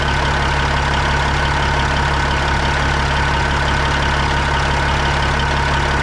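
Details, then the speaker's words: Freightliner FLD120 with Cat 3406E diesel at idle: heavy rumble with an uneven rhythmic thump about 2.5 per second, louder at the front on one side; source not yet found, valve cover to come off. "definitely feels like the front of the engine coming back to this side what do you guys think that is"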